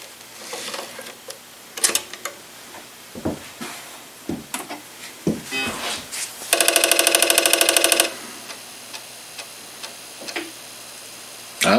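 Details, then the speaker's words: Apple IIgs disk drive, previously banged around, booting a disk; scattered light clicks, then a second and a half of quick, even buzzing steps as the head travels; the drive seeks normally. "well despite being banged around that one appears to be working a deep deep probe booted up just fine"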